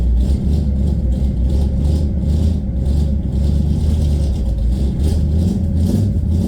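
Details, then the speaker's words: Idle just after the first start on a newly installed DIY dual exhaust, smoke expected from oil melting off: a deep, steady exhaust burble with an even rhythm and no knocks or rattles. Normal idle. "I like the sound it sounds pretty good going to be some smoke um from oils melting off and such all right she should idle right there"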